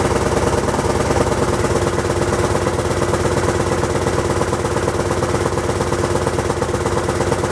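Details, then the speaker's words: Honda XL1000 Varadero V-twin at its first start after being apart: uneven idle with a rhythmic puffing chuff under the exhaust note, about 100 beats a minute. A known exhaust leak is blowing and needs sorting. "i say the blowing on the exhaust i know about so that will be dealt with"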